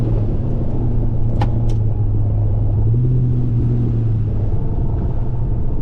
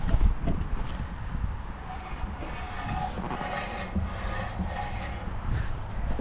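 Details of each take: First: HSV VP Senator with new headers on a first test drive around the block: only a steady low road rumble, no scraping or grinding; the earlier noise is gone. The transmission seems to use only two gears. No brake noise. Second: HSV VP Senator (VN), first drive around the block after extensive work: rough continuous metal-on-metal scraping keeping pace with the turning wheel over road noise, brake related; the dust shield was touching and rubbing the brake disc.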